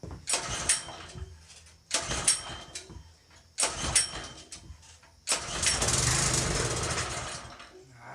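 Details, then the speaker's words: Trash-picked Generac 2700 PSI pressure washer, fresh fuel and oil added: fires in short bursts that die within a second, then a brief run that fades out; it starts but won't stay running, low fuel flow from the tank suspected. "Oh, she fired up. Not looking good though. I thought she would have stayed running. Ah, come on. It's not going to stay running. You're joking me."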